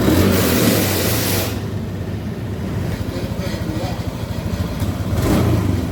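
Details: Honda Beat Street before repair, fuel pump pressure under 30 psi (spec 40–50 psi): revs climb briefly, then sag into choppy uneven pulsing as throttle is held. Bogging from low fuel pressure.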